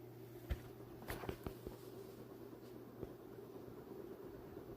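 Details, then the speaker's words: Ceiling fan in reverse at speed five (top), after a disconnected wire at the top box was reconnected: soft steady hum with even helicopter-like whoosh, few handling clicks; running normally. "And five is literally the craziest speed. And you can hear it sounds like starting to sound like a helicopter now."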